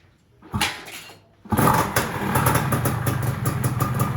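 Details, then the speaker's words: Yamaha F1ZR two-stroke engine after porting to a daily-touring spec, with the pickup magnet welded, first started before break-in. It catches on the second try and settles into a quick, even crackle with steady firing and no knocks: normal idle. "Nah alhamdulillah suaranya udah halus."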